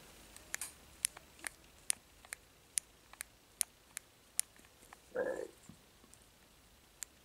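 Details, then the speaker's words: Burned-out 4-pole 7200 kV 2430 brushless motor from a 1/8 Hennessey Venom GT RC car, shaft turned slowly by hand: faint crisp ticks about every half second with one rougher catch; motor has seized. "so i'm spinning it and you can hear it right there that little click so basically this motor just like seized up"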